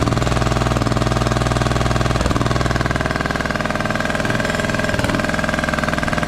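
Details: Craftsman T1200 riding mower, first start on old gas with a replacement spark plug: a lumpy, gurgly thumping about four beats a second at idle with very high compression; it runs rough.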